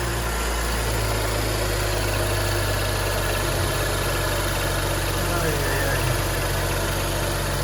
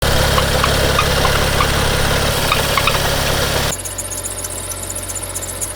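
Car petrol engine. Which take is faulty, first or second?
second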